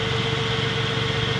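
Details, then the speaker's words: 1996 Ford F-150, 130,000 miles, after replacing spark plugs (#5 had a loose spinning electrode causing a miss and valve-tap noise): even, steady idle hum with no tapping or skipped beats; running smoothly on all six cylinders. "but as you can hear she's going pretty good right"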